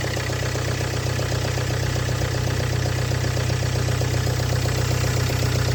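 Steady cold idle with a regular knock about three times a second riding over the engine note; cause not evident by ear.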